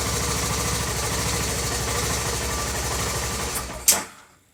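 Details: 2006 BMW F650GS twin-spark single at idle: starts and idles a few seconds, then stumbles unevenly, breaks up and cuts out despite a full service and new coils; misfire fixed by replacing the ECU.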